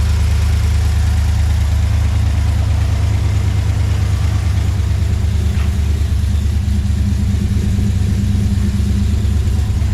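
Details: 2013 Chevrolet Silverado (GMT900) after 6.2 L V8 swap and fresh tune, just after first start: deep even steady idle, no misses or knocks; about 45 psi oil pressure at idle, no leaks, healthy.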